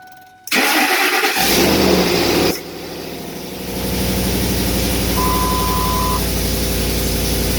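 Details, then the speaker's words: 2006 Ford Expedition 5.4L V8, first start after timing chain, spark plug, camshaft and broken lifter replacement: cranks, catches and settles into fast idle with rough raspy exhaust note, said badly damaged exhaust; oil pressure good. "Sounds good. So listening, the exhaust is very fucked up. Really was fucked up."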